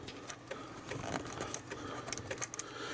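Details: Amiga 500 floppy drive being tested before teardown: quiet, irregular ticking and short seek chatter as the head steps across the disk. Normal disk loading.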